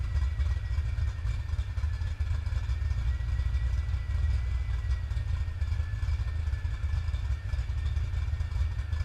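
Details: Ford 306 small-block V8 (spare-part motor, supercharger removed) idling with a deep rumble and a thin steady whistle; bad vacuum leak, intake manifold found not properly tightened, fixed by torquing it down.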